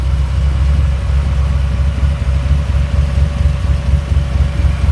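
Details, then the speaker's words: 1985 Dodge Ram D150 with 408 stroker V8, carbureted, air grabber open, before first drive: deep loping idle with steady uneven chop once or twice a second, all cylinders firing; healthy big-cam idle. "you sure hear that cam can't you"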